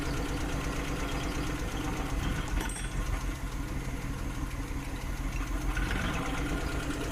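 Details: Suzuki F6 with hard starting and a rough, misfiring idle: quiet, uneven idle with irregular low thumps and a stumbling rhythm; cause suspected but not confirmed.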